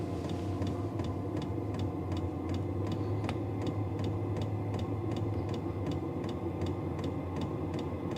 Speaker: You hear the clicking in it. And then you can hear it starting to make the noise. It's ramping up. It does get quieter once it gets going, but it kind of hums a little bit as it's starting off.